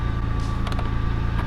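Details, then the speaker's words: 1998 Toyota 4Runner, 178,000 miles: low, even idle pulse with a steady beat and no clicking or clacking; engine sounds normal. "And then from here we see, it sounds really good. No clicking, no clacking."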